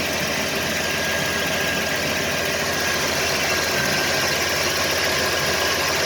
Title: Camaro IROC Z Small Block Chevy Thumping and Popping Noises